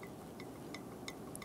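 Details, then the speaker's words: 2010-2015 Lexus RX350 front brake caliper slide pin rocked by hand after fitting: faint, irregular metallic rattle from play because too little slider grease; more grease needed. "hear that rattle so I want to pick up that space with some more slider Grease so I don't want it to be that dry"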